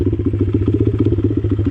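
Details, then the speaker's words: Swapped 50cc pit bike with key, not ridden in over a year, new rear inner tube: starts first kick and settles into even putter about eight beats a second, steady and clean; healthy idle. "what a champ starts up first kick and like I said this bikee hasn't been ridden in over a year so that's pretty awesome"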